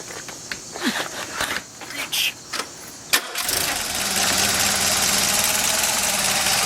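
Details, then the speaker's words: Rebuilt Mazda B2200 2.2L carbureted engine, after clearing a clogged idle mixture screw passage: a few handling clicks, then it catches at once and settles into a smooth, steady idle. Runs great, though there is a weird moan from the water pump. "beautiful I have a weird moan from the water pump but run but it runs great"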